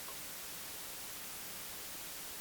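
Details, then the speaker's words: Only a soft, even hiss at low level, with no hum or buzz. The ground loop was solved by plugging the console into the front-of-house AC feed using a star ground. "And now we have a nice safe system. And we've solved that ground loop."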